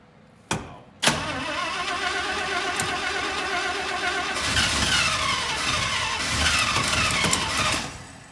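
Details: 1967 International Loadstar 1600 truck after new fuel pump and carburetor work, idle screw and choke being adjusted: two sharp cranking hits, catches, runs unevenly about seven seconds then fades; stalls after starting, won't idle, cause not confirmed.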